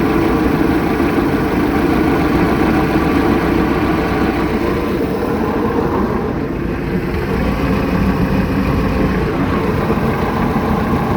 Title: Mercruiser 3.0lx rough idle